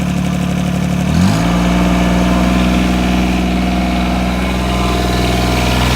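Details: 1986 John Deere 330 diesel tractor: steady diesel clatter climbing smoothly in pitch and holding as it revs, no misses or knocks; runs really good with a little black smoke.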